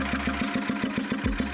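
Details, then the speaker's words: Mitsubishi Strada Triton 2.5 diesel, running after a snapped timing belt was replaced: rough, limping chuff about seven times a second, a cylinder misfiring; valve leak suggests bent valves, valve cover to be opened to check rocker arms. "seperti ada kebocoran klep ini menandakan klepnya bengkok jadi langkah awalnya kita buka terlebih dahulu di Hai cover valvenya"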